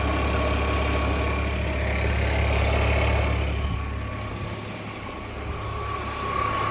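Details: BMW E46 330i at idle: steady six-cylinder idle with faint fairly regular tapping about four times a second over it; unexplained engine noise, cause unclear.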